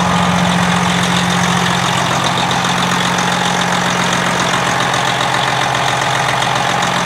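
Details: Freightliner Classic XL with a Detroit diesel, after fitting a secondary instead of a primary fuel filter, which seems to have cured its sputtering. A smooth start, then a steady, even diesel idle with no misses or sputter; a healthy, normal idle.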